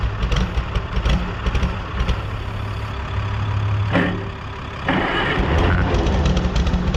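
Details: 1960–63 International Cub Lo-Boy tractor, sitting 10+ years, sprayed with starting fluid: the engine chugs unevenly, nearly dies, then picks back up. It has compression and runs only on starting fluid; new plugs and draining the old fuel tank are planned.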